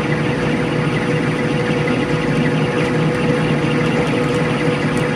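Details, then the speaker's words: Craftsman/Atlas 12-inch lathe after spindle preload adjustment and relubing, cutting: steady, even hum with constant low tone, chips curling off cleanly, no jumping, chatter or screech; normal cutting. "crawling them chips up nice there's no jumping there's no screeching that's just what i was looking for so"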